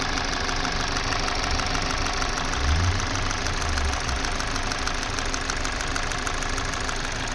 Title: How to Diagnose Engine Misfire #kia #hyundai #shorts #automobile #shortvideo